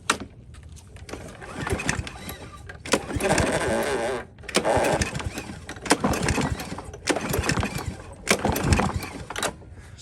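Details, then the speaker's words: Toro mower with Briggs & Stratton engine, no fuel, recoil cord pulled by hand to check for deck obstruction: engine spins freely, no scraping or blade strike; normal. "I'm just going to pull the cord through there's no gas in it right now I just want to see if there's anything impacting under the"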